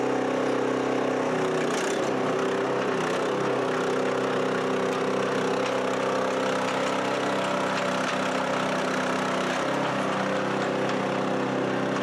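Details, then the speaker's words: Chinese walk-behind track dumper after repairs, started on one pull, driving: small single-cylinder engine holds a steady, even buzz under load with no misses or knocks; healthy, now steers, dumps and runs well. "All right, there you have it, guys. How cool is that? It steers now. It dumps. It runs well."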